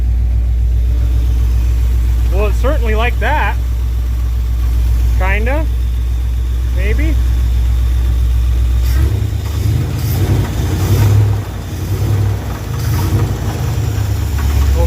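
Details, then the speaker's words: 1968 Dodge W200 Power Wagon, big block 383 V8 with 4-speed manual; cranks, catches and runs rough with heavy irregular deep knocking; owners suspect a piston hitting a head or a rod coming apart. "anyways we think there's probably a piston hitting ahead or a rod coming apart and we really don't want to throw one out the side"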